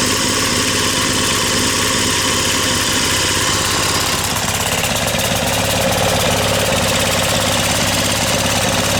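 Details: Brute Briggs and Stratton 550e pressure washer engine, pump loading it midway: busy uneven, rough heavy note suggesting running rich; needs a new carb main jet.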